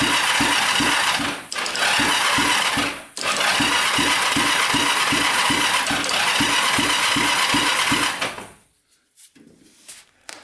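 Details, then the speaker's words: 1980s Kawasaki Mule 450cc twin, cranking for a compression test after oil was put down the cylinder: even cranking beats with no firing. Compression jumped to about 80, so the rings are not seating in that cylinder. "that jumped up quite a bit um up to 80. so the rings are not seating properly in that cylinder"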